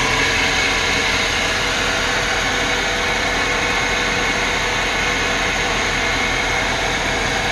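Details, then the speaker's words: Engine at idle, hood open: a steady high whir over an even idle with constant pitch, heard from one side of the engine bay; serpentine belt later replaced, source possibly a pulley or accessory bearing. "it's like a whirring sound i'm hearing over from over on this side"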